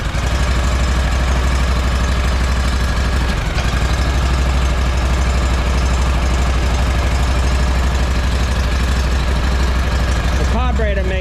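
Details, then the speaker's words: Walker mower ("pink panther") engine before clutch refitted, being broken in and checked for leaks. Even low thrumming idle, steady beat, no knocks or rattles; engine healthy. "Everything sounds good on this engine so far. Nothing funky going on as of yet, but we're gonna run it, we're gonna break it in and see if there's anything going on that needs to be addressed, such as leaks or something like that."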